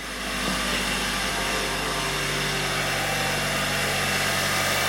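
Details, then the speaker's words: 2019 Hyundai Sonata SE, cold start before Amsoil engine flush and oil change: loud run with busy fast ticking about four per second over the engine; owner suspects noisy cam phasers. "yeah you hear that maybe it'll change once it gets flushed down has amsoil put in it i know the toyota's had that problem too very noisy cam phasers"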